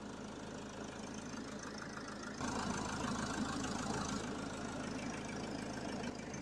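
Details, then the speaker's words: Citroen Jumper 3.0L Iveco diesel idling during an AC recharge, can nearly empty, vents cooling toward 13°C: an even idle, then the high-speed cooling fan cuts in as the refrigerant heats up. Normal AC operation with pressure in the system. "I could also hear the high-speed fan kicking in. So this means that the gas is getting hot and it needs cooling."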